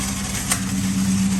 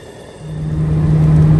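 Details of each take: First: Ford Mustang Bullitt running: coarse, steady low growl and rasp; starter pinion stuck, not retracting and dragging on the flywheel. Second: Ford Mustang Bullitt after replacing starter that stuck and dragged on the flywheel: engine catches quickly with no starter grind, then steady, even idle hum; starter engaging and releasing properly.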